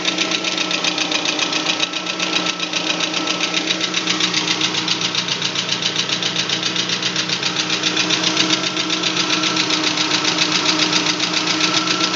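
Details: VAZ 21124 engine idling with a regular light knock, roughly three to four per second, over a thin engine hum; knocking at idle, cause unknown.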